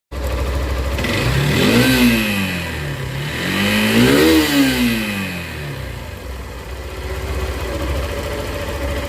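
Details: Hero three-wheeler engine blipped twice: pitch climbs and falls with a rough, uneven beat under the rev. Abnormal engine noise when revving; timing suspected, not confirmed.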